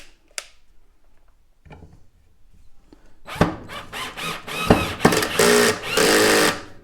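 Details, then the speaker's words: Black & Decker LDX120 drill driving a screw on a low torque setting: the motor whirs in short bursts that break into rapid ratcheting clicks under load. The clutch is slipping from too little torque. "so yeah you could hear how it's clicking because we don't have enough torque"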